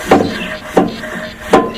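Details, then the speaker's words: Craftsman LT1000 tractor, 17 hp engine run low on oil, being turned over: three heavy, hollow thunks about every 0.7 seconds with no firing; thrown connecting rod, oil thick like tar and well below proper level. "hear that hard thunk uh she has a throne rod and let me show you why she threw the rod look at that oil it's tar and it's got a lot less than it should have in it"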